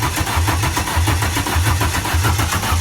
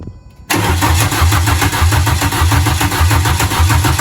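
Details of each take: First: Renault Clio 172, on a jump pack: strong, even starter cranking with rhythmic chugs but no firing; cranks but won't start because the fuel pump wasn't hooked up, no fuel. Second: Renault Clio 172 with freshly installed engine, exhaust fitted and wired but no cooling system, first start after fuel pump hooked up and fuel added: brief quiet crank, then catches and settles into an even, throbbing idle with no misses.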